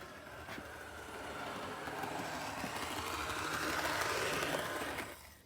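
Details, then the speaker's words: Seaboard Coast Line HO-scale switcher locomotive running on a layout: thin gritty grinding with a quick regular hammering tick about three times a second; cracked gear. "this does not seem to be the the happiest Seaboard Coast Line switcher there is but it's definitely got a bad year you can hear it hammering away as it runs"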